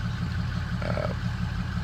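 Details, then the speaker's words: Ford Excursion 6.8 V10 at startup and idle, owner suspects possible rod knock: deep, even idle with a faint, steady light knock on each beat; knocking at idle, cause unconfirmed. "it's a cut a bit of a knocking sound"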